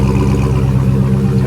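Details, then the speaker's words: Rebuilt Chrysler 300 Redeye, which misfired when dropped off: deep, steady V8 idle with an even, smooth beat and no stumble or skip, firing cleanly on all cylinders after the rebuild. "remember when they first dropped it off to us it was misfiring listen to it now"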